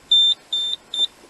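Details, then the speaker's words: Nugelec type 2B fire alarm panel demo case, call point triggered: three short shrill high beeps, about two per second, in a quiet room as the panel signals Zone 1 alarm. "Donc si je fais un déclenchement, voilà. Zone 1 alarme."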